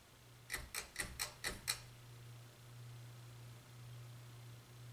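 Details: Hunter Westminster ceiling fan: six quick clicks, then steady low 60 Hz hum under the fan; high speed no faster than medium, bad capacitor suspected, unconfirmed.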